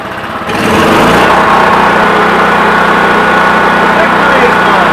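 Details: Generator unused for about nine years, given fresh fuel, during pre-hurricane prep: it catches within half a second and settles into a steady, even run with no stumbling or knocking. It runs healthy.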